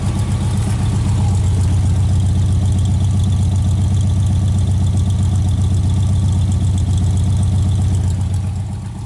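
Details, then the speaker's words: Straight six after swapping Pertronix back to points set at 0.022 in, timing 10 degrees initial, centrifugal and vacuum advance working: steady even smooth idle, no misses or ticks. "Advance is working and I don't know maybe it's just me but it seems to idle a little smoother with the points"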